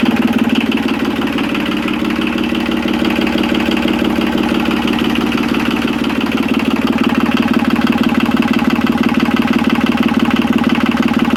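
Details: Yanmar 3QM30 three-cylinder marine diesel at idle, even clatter about two beats a second, no misses or knocks; oil pressure up to 75–80 psi, smoke from excess diesel after extended decompressed cranking.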